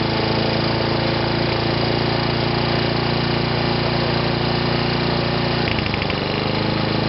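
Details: Sovereign lawnmower engine, now self-cleared of smoke, holding a steady, even hum at a fairly high speed with no hunting; it is running a bit fast and is being left as is.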